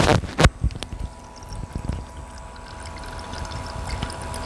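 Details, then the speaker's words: New server build liquid cooling loop with irregular watery gurgles and bubbling over a steady pump hum; air trapped in the radiator and water block, no leaks seen. "air caught in the radiator and the water block."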